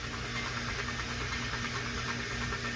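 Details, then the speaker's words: Shadow BMX freecoaster rear hub, the owner's second one: a rapid, uneven clatter of metallic ticks, about three a second, as the wheel spins. Owner believes the hub guard is a main cause of the rattle; not confirmed. "now I know for a fact that one of the main causes of the rattling is this this puff guard"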